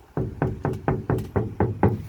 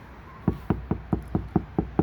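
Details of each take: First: Ford Flex door before sound deadener install: eight hollow, ringing knocks about four a second with a drummy boom; untreated, undamped door skin resonating. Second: Ford Flex door top section tapped from outside after fitting KnuKonceptz deadener, 4 layers (2 full sheets cut in half and stacked, 400 mil): eight dull, short, low knuckle taps with no tinny ring, a solid, well-deadened door skin.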